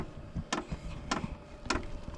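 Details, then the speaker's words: SILVEL 12 V diesel heater, just reassembled and switched on, ramping toward maximum speed: faint sharp ticks about every half second as the fuel pump kicks on; pulsing normally at startup. "I don't know if you can hear that or not that's the pump kicking"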